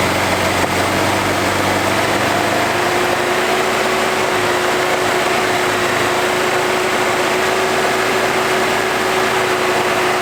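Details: 1981 Toyota Hilux RN46, 18R-GU twin-carb engine, first start after sitting at least three years, needing only carb cleaner and a few cranks: even steady idle settling to a constant hum with faint whine, no misfires; compression good.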